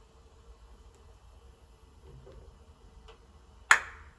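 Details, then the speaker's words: Electric water heater under load: upper thermostat setting raised, and a single sharp click in a quiet room as it closes and calls for heat; the top element takes priority and runs, and the meter reads 242 at the element. "there you heard it now it's asking for heat so the since it takes priority now the top element is going to run"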